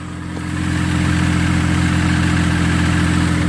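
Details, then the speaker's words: Used Chevrolet Trailblazer idling down as it warms: steady idle with a faint, quick, even ticking over the low drone; top-end engine tick, suspected lifter, possibly a rod. "it sounds like it's a lifter baby in the upper part of the engine I think it's a rod in myself when it warms up maybe you can hear it down here a little bit better"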